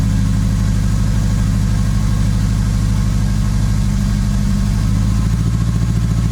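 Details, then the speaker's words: Acura RSX after installing Sirimoto flex fuel kit and changed injectors with new map: uneven, lumpy, stumbling idle; air-fuel reads super lean and running weird, owner suspects bad injectors. "i'm gonna shut the car off still running really weird running super super lean"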